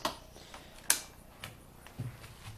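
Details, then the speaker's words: Honda Recon 250es ATV at push start: a couple of sharp single solenoid clicks a second apart with no cranking; the owner suspects the starter rather than the solenoid, not confirmed. "so when you turn the key you know push start you can clearly hear the solenoid clicking"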